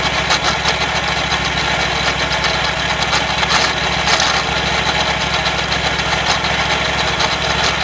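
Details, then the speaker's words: Wright Stander mower running: rough whirr with fast steady ticking over the engine drone, louder than ever; owner suspects the drive belt or worn idler pulley bearings, likely needing a new idler pulley. "could be that idler pulley - could be the bearings on it hmm yeah those bearings they seem really really bad I have a feeling it's the idler pulley bearings may need a new idler pulley"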